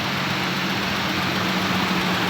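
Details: 1990 Nissan Safari after its crank no-start fault is fixed: a smooth, steady engine hum with an even pulse and no knocks or misses; a healthy, settled idle.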